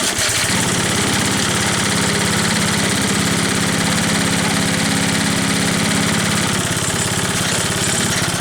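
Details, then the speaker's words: Troy-Bilt Trail Blazer sickle bar mower with a 4-horsepower recoil-start engine, low on gas: the small single-cylinder fires at a steady, quick beat with a constant hum and no misses or knocks. It starts easily and runs normally. "This thing starts real easily, so I truly don't care that it's not electric start."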